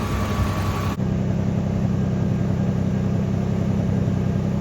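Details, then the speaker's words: 1986 Nissan 300ZX at idle after ten minutes, following new ignition and fuel parts (crank angle sensor, spark plugs) and a timing increase. It runs smooth and steady, and temperature reads centred. Normal idle. "No issues really. It's still running fine. Seems to be continuing to run nice and smooth."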